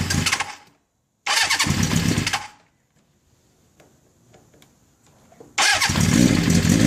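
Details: 1981 Kawasaki GPz550 four-cylinder, first start after frame-off restoration and engine teardown, not run since 1994: fires in short bursts, then settles into a fast, steady idle (idle screw turned up), no knocks; healthy, owner thinks carbs may need syncing.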